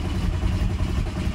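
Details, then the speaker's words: Audi A4 converted from 2.0 TFSI to ALH 1.9 TDI diesel, first key starts: cranks and fires in uneven, sputtering bursts without catching; hard start, owner suspects it needs more throttle or glow plugs. "so I'm just going to keep cranking um cuz it probably wants a little bit more throttle and I'm a bit impatient"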